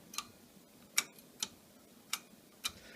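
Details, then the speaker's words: Mechanical hard drive with sharp, dry ticks, about five in three seconds, over a quiet background: the read head repeatedly failing to initialize, the classic click of death, usually due to a spindle motor fault. "most times that's the head actually trying to initialize and it's because of a false usually in this little spindle motor here"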